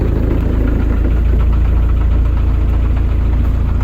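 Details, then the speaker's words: Land Rover engine idling, owner says second gear is gone. A loose, uneven knocking of about four per second comes through the drivetrain; gearbox knocking suspected, not confirmed. "second gears gone making a funny noise knocking noise"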